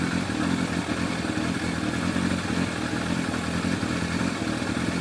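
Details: Yamaha FZR1000 four-cylinder with rebuilt carburetors after Digi Sync balancing: smooth steady idle with an even note, no hunting or stumble; readings all 58–60, carbs balanced.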